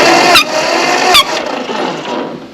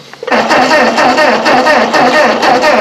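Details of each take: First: Ford 8N tractor that cranks but won't fire, cranked with the spark plugs out and a finger over the plug hole: two sharp puffs of air about a second apart blow past the finger, showing enough compression to run. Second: Ford 8N tractor cranked in neutral after refitting the old copper-core spark plug wires: starter churns in a steady, even rhythm for several seconds and never fires; no fuel reaching the carburetor, with a dry line despite the tank shut-off valve.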